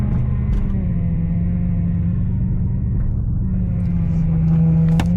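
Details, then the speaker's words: Car being prepped for long road trip, power steering previously thought fixed; steady low hum under engine rising in pitch, suspected power steering pump whine, owner fears pump replacement. "o you hear that right now that's my power steering pump that's another thing I want to get fixed I thought that I fixed it earlier but it's making sounds again so I guess I didn't I hope I don't need to replace the pump"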